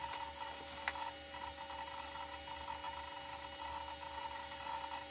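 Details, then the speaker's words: Seagate IDE hard drive in a Pentium 133 PC: quiet, quick clicking and chattering of the heads seeking over a faint steady hum, the normal sound of a working drive. "you can hear that CK Seagate Drive trying to run away seems to enjoy in itself"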